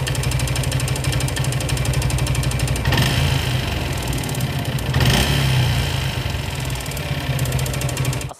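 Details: Suzuki Gixxer motorcycle with engine noise: rough idle with an uneven rattle of about four ticks a second over a low thrum, attributed to worn piston and rings, before ring and piston replacement. Worn piston and rings.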